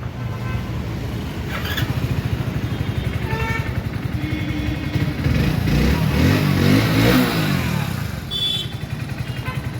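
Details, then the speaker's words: Hero HF Deluxe BS6 motorcycle, after fixing a no-start caused by corroded, carbon-fouled wires at the fuel injector: single cylinder fires steadily and evenly, picks up cleanly with light blips and settles. Normal running after repair. "సరే స్నేహితులారా, పని పూర్తయింది. మేము HF deluxe BS6 తో సమస్యను పరిష్కరించాము; fuel ఇంజెక్టర్‌లో సమస్య ఉండేది."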